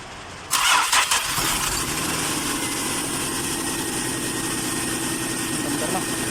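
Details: 2002 Nissan Maxima with codes P1320 and P1335: starter spins the engine with steady even whir but it never catches or fires; crank no start.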